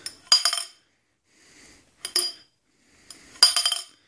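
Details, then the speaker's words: York barbell with needle bearings, internal sleeve come loose: sharp metallic clinks in three bursts as the bar end is moved, weight shifting inside; the bar is essentially unusable, and the fix reportedly needs an expensive welder. "but sometimes that sleeve comes loose and what will happen is is you have a barbell end this is a barbell uh end you will have a barbell end where you'll hear"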